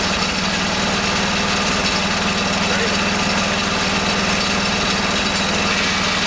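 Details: Kohler K301 12 hp single-cylinder engine after rebuild with homemade gaskets, fitted to a garden tractor, fuel pump suspected bad: steady thump with even firing and no misses at constant speed; normal running.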